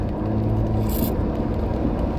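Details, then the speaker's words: Vehicle at about 90,000 miles, told less than 30 days earlier at another shop to return at 94,000: low, rough, continuous metal-on-metal grinding from worn-out brake pads, now likely needing rotors too. "they may have told the customer that your brakes are just about shot this thing's grinding so bad they just costed themselves triple the expense to fix their brakes"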